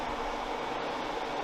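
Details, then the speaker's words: Toyota AE86 4A-GE, both electric radiator fans switched on during the swap of the raccoon-damaged radiator for a new one: steady even rush of air, no ticking, scraping or wobble; normal cooling fan operation. "Got it plugged in, so we're gonna kick on the fans and make sure they're both working. Woo. Oh yeah, they're both pulling air."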